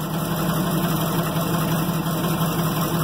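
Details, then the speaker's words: Loaded Ford F600 grain truck idling: rough uneven idle with loose irregular knock about three a second; owner suspects valve train noise, oil found milky. Cause not confirmed. "Yeah, she doesn't sound good at all."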